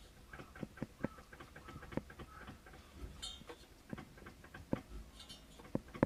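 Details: Mitsubishi 360 ME24 engine, engine off: irregular light metallic clacks as the cooling fan is rocked by hand, from loose play at the fan; owner suspects this causes the apparent piston-slap noise, not confirmed.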